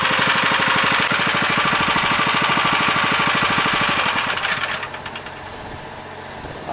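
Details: 7 HP Kohler air-cooled engine on a hydraulic power unit, after thorough carb cleaning, fresh fuel and idle/air screw adjustment: steady, even single-cylinder putter at quick idle, no misses or knocks, then winds down; running normally.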